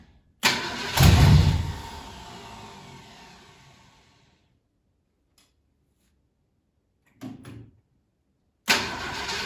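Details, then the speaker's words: 1968 Ford Galaxie 500 with a 390, sitting at least 13 years; it fires in a short burst, runs about a second, then dies with plenty of fuel; owner suspects a wiring issue; start then immediate stall. "okay so you can kind of hear how it wants to start and uh just just run for just a second and we've got plenty of fuel in it"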